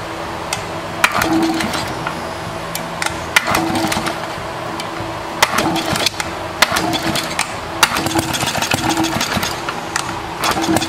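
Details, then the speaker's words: 1936 Briggs & Stratton WM washing-machine single-cylinder engine, before ignition coil/points work: popping, spitting and sputtering with irregular skipped firing, a misfire; owner plans to clean points and spark-test whether the spark is breaking up, cause unconfirmed. "if it's still popping it's spitting and sputtering we'll see if we can uh see if we can get a spark tester in there and see if the spark is breaking up"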